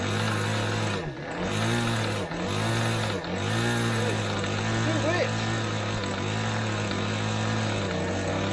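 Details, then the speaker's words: Limbo Dancer model aircraft glow engine first run-up, needles opened a bit: buzzy two-stroke tone sagging and recovering about once a second, never clearing at low throttle; very rich at the bottom end, top end not too bad. "so you saw there this engine um ran up fine um yes it's very rich at the bottom end it's very rich at both ends"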